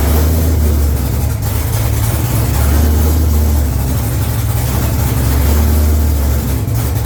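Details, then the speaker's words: C5 Corvette freshly fitted with an A&A supercharger and new fuel system, first start on a jumped dead battery with no exhaust fitted, not yet tuned; loud, deep V8 idle that swells and eases every few seconds, a slight surge, no fuel leaks. "But it starts and it runs. It sounds damn good. It's way too loud because I don't have my exhaust on. But it sounds good, and guess what? Best part, no fuel leaks. There's a little bit of a surge, so we gotta get it tuned an"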